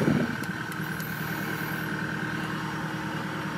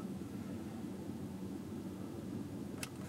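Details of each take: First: Chevy Tahoe V8 at idle with the scan tool showing 14 misfires on cylinder 7 only: an uneven, stumbling beat with occasional dropped pulses; a single-cylinder misfire traced to a carbon- and oil-fouled spark plug. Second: Chevy Tahoe on a test drive after the misfire repair: a steady, even engine drone with no stumbles or jerks; the scan tool shows no misfires.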